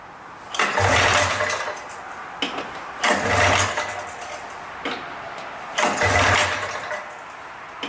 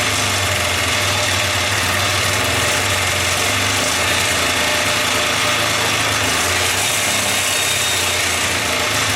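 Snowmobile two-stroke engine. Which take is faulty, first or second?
first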